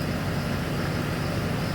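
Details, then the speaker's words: 2007 Chevrolet Silverado 6.6 Duramax LMM diesel with used replacement engine: steady even smooth idle after cylinder 6/7 misfire and injector codes seemed to clear by cycling connector 108; glow plug issues remain. "vehicle seems to be running nice and smooth now"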